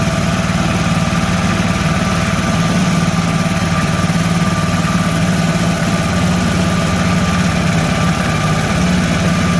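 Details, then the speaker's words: Mud motor (Mud Skipper Twister) on a 1648 boat, fitted with a welded-on Honda 300 muffler: steady, low, even drone with a soft, muffled exhaust note, no knocks or rattles, much quieter than other exhausts; running normally. "Much quieter. Much quieter than any other exhaust."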